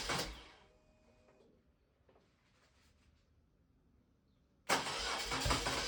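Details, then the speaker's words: BMW R1200C twin after fuel pump replacement and refuelling. A short cranking burst dies, then it catches cleanly and runs steadily: a healthy start. "Ooh. That was promising. Ooh. Try it again. Question is, will it idle?"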